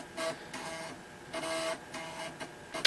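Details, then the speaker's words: Toshiba T1000 laptop after disk drive repair, running on a weak battery: short buzzy bursts of head stepping and disk whirr about once a second while loading; floppy drive reading normally. "as you can hear the disk drive is definitely working again and uh loading something like this is putting a fair bit of load on the battery"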